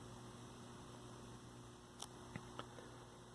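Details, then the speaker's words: 1965 Zenith 19-inch black-and-white TV, 14M28 chassis: the vertical stage is now running with a steady mains-pitched hum and faint buzz, and the earlier hot resistor smell is gone. Normal vertical output hum. "we're going to take the bottom cover off really briefly and just take a look underneath but the fact that the vertical's running now is promising"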